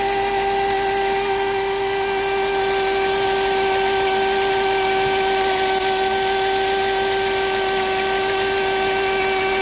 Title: 100% bad alternator bearing..